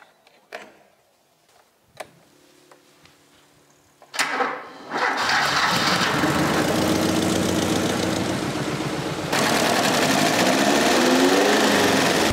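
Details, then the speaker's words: Ford Pinto engine, cold start, parked 15 years earlier with low compression found on cylinders 3 and 4: clicks, cranks, catches into an uneven lumpy idle with rhythmic shaking; owner suspects compression problem. Rough running. "but as you can tell it is not running very smooth it's it's really shaking a lot and that's because of the last resilience you can even hear it on the sound"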